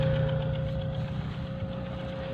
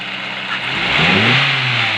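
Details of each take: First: Petrol engine at idle: rough, lumpy running with a chuffing beat about four times a second and shaking from the exhaust, a misfire from a spark plug not working. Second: Petrol engine blips up from idle and settles, running evenly with no stumble or miss, after a misfiring cylinder three was fixed by swapping its faulty spark plug.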